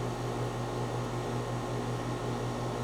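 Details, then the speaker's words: A/C condenser compressor running normally without sound blanket, mic about a foot off ground, six inches from unit facing inside; steady low hum with soft even pulse, no rattles or squeals, reading about 75.5 dB before blanket install. "I can hear the hum of the compressor from here."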